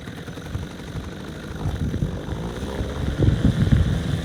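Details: Small two-stroke outboard on an abandoned jon boat that sat over winter with unknown running status, started in water. A low, buzzing beat runs on without dying and builds slightly toward the end; it runs fine.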